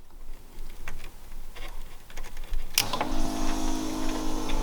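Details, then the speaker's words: BMW E30 no-start diagnosis, fuel pump relay pins 30 and 87 jumpered with ignition off: steady electric hum at even pitch, fuel pump running; pump confirmed good. "and i don't know if you can hear that but my fuel pump is running right now this is my ignition's off um as long as you got power you know battery in your car then your fuel pump's gonna run when you do that so now we know the fuel pump is good"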